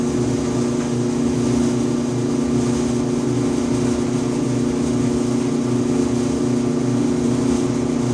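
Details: 5-year-old Electrolux EIED55H dryer makes a loud buzzing noise and vibration every 45 to 60 seconds: a steady hum with a coarse buzzing rattle over the drum rumble. Caused by the blower assembly (134690800); replacing it fixed it, and the motor bracket was also replaced.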